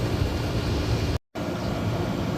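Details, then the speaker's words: HVAC condenser unit after replacing condenser fan motor, capacitor, contactor and wiring, thermostat calling: steady low hum from compressor and fan with a smooth whoosh, no rattles or buzzing; condenser running normally. "It sounds like compressor is on as well, so after that I will go ahead and measure the pressures, and I will go ahead and wash the unit as"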